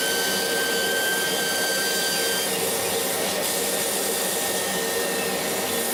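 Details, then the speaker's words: Laser cutter whistle during cutting, cause unconfirmed: a thin steady high whistle over loud fan and extraction rush. It appeared after about six months of operation and comes from the beam at the nozzle exit, not air assist. Current rose 12→13 mA, with no uncut spots. "Это именно писк лазера. Может, я что-то не так понимаю или не слышу, не могу объяснить более научно это явление, но звук издает сам лазерный луч."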